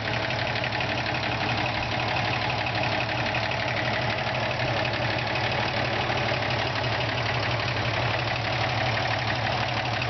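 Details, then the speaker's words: 1973 Toyota FJ55 Land Cruiser idling steadily and evenly with a deep, unique exhaust note, no misses or knocks, after new parts and a new alternator. "Exhaust, it's got a really unique tone."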